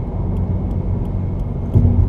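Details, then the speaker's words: Subaru WRX with stiff Group N hard poly transmission mount, cruising on the freeway in gear: faint steady high-pitched, almost electric whine or beep from the transmission over road rumble, carried into the cabin by the stiff mount. "so I'm on the freeway right now and there's this high-pitched whine from the transmission it's not too bad but it sounds like almost like electric"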